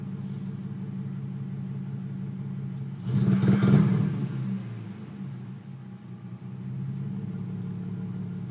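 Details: Nissan 350Z at operating temperature, check-engine light on after an earlier start without intake: lumpy, stumbling idle, a short rev near three seconds, then the same rough idle; misfire appears only once hot, runs fine when cooler.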